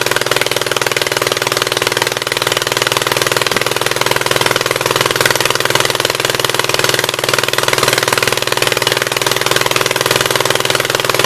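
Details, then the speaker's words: 1976 Gravely 816 twin, first run on old gas, choke manually open: lumpy, uneven chugging about four pulses a second, running on the right cylinder only; owner almost sure the other side's exhaust valve is stuck open. "It's only running on the right-hand cylinder. I'm almost 100% sure that the exhaust valve on this side is stuck open"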